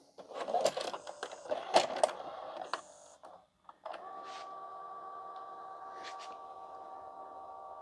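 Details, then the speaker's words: E-waste LG/NEC VCR, play pressed after eject: clattering clicks and clunks for a few seconds, then a steady motor hum as it performs functions on its own; owner suspects the mode switch needs cleaning. "Ah, this is doing really weird stuff. Now, I've read about there's a mode switch in these things that need cleaning apparently."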